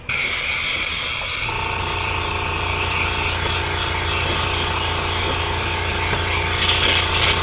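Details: Makeup airbrush spraying foundation: steady airy hiss over a low compressor hum, even, with no sputter or spitting; the airbrush is spraying normally.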